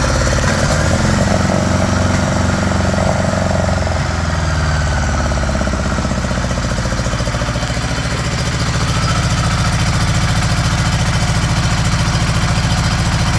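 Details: 1975 Honda GL1000 Gold Wing flat-four, first start after water pump gaskets and O-rings replaced (earlier start leaked coolant from weep hole): steady, even idle, slightly high with choke on, no irregular beats; no leaks, much less smoke.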